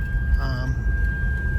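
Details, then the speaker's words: Toyota Land Cruiser 100 Series (LX470) driving in low range with pedal to the floor and ABS light on: continuous high brake warning beeping over low vehicle rumble; brake booster/actuator failure suspected. "so soon as you get this noise and this beeping pull over get your vehicle towed"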